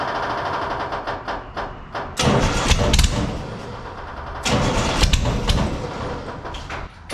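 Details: Scratch-built Jaguar D-Type replica with a homemade exhaust, recorded without its built-in silencers: very loud, raw exhaust with sharp crackling and popping on each throttle blip over a rough idle.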